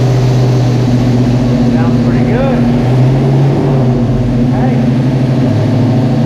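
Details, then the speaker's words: '83 GMC pickup engine on its first start after an engine rebuild. Steady, strong running with an even beat and no knocks or misses. There is an exhaust leak, no major leaks underneath, and slight smoke from assembly lube. "he got an exhaust L but he's alive he's alive no leaks major underneath it"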